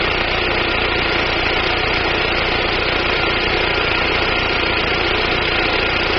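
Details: 1999 Daewoo Nubira 2.0L DOHC U20SED engine: steady idle with a slightly uneven, loping beat under a busy hiss; misfire, with weak spark from the DIS coil suspected but not confirmed.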